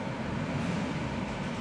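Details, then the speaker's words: 2016 Hyundai Accent after tightening the alternator belt: hard acceleration with AC on full, high beams on and windows down, steady low roar with no belt squeal; loose belt was the issue. "There appears to be no belt squeal. So that was the issue."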